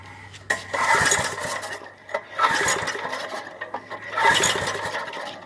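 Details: 1995 Briggs & Stratton 5 hp engine on a go-kart, cold start after about 7 years unused: three pull-start bursts, each a brief sputter, never catching. Hard starting after long storage.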